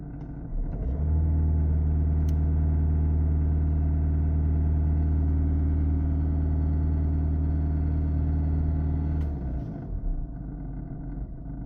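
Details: VW Golf 1.6 TDI diesel at idle; deep steady drone with a regular creaking knock about four beats a second; cause unknown.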